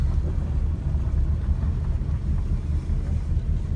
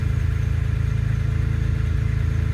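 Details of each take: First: BMW E30 M3 with S54 swap, MegaSquirt, cold start, idle valve about a quarter open, roughly 250–300 rpm. Deep, slow, lumpy burble with loping pulses; very low cold idle because cold engine needs more air. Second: BMW E30 M3 with S54 swap, with fuel pump relay manually grounded after finding it ungrounded: steady low, even idle with regular pulse and no misses or stumbles; normal idle.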